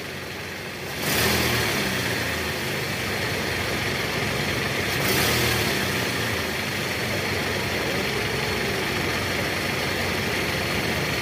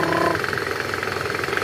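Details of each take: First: Toyota Camry 2AZ petrol engine in reverse after replacing the loose balancer shaft: blips up twice from idle and settles back, running smooth with no rough knocking; engine sound back to normal. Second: Toyota Camry 2AZ/2AR engine in reverse gear with throttle: rough, rapid knocking rattle from a worn, loose balancer shaft, gone once the balancer shaft was replaced without removing the engine.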